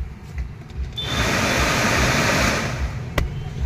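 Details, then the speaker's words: WagonR K-series AC blower on fan speed 4, key on: loud steady rushing hum with a rough shake underneath as the fan spins fast; blower wheel out of alignment causes the vibration and noise. "तो ये फिरता है और इसमें कोई भी चीज फस गई तो इसका लामेंट आउट होने की वजह से बहुत तेज वा बट दे है"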